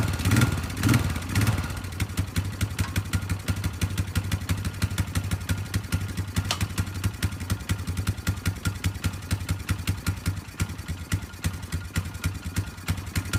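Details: Polaris 500 HO ATV brought in as a no-start, with bad old fuel and mouse droppings: after a few blips, an even, steady single-cylinder putter with regular firing pulses. Normal idle with no misses or knocks.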